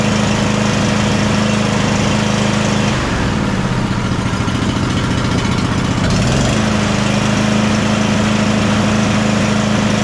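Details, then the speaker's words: John Deere Z345E zero-turn, Briggs & Stratton V-twin ReadyStart, after repair (overlong bolts had rubbed flywheel): slightly uneven beat, dipping and recovering; starts and choke works, but not perfect, probably carburetor or fuel related. "The choke's now working like it should at least. It doesn't sound like it's running 100% perfect on this, but it's probably a carburetor or fuel related issue."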